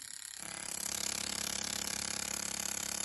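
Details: Jaguar XJ12 Coupe fuel injector removed during recommissioning, on injector tester in continuous pulse mode: rapid even ticking about four per second over spray hiss, fine mist; normal injector clicking.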